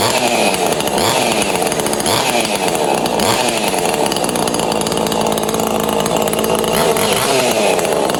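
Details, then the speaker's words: Neotec 843 chainsaw (Husqvarna 543xp clone) with K095 bar mount, mild ported with squish clearance closed, first test start after reassembly and releasing choke: strong, clean two-stroke scream with crisp rev swings, no misses or bogging; runs healthy. "I'd say she runs."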